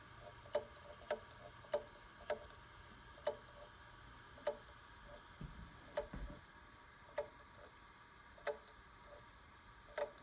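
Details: G-Technology G-RAID 12TB 2-bay Thunderbolt 3 RAID (2 x 6TB), bought new and unused months before: sharp clicks repeat every second or so over a faint steady hum; never shows up on the computer. Hard drive clicking/knocking, not detected.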